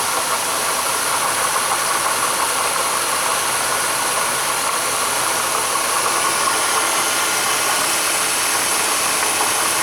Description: In this case the water pump makes a loud "squealing" noise or you hear the bearings scraping.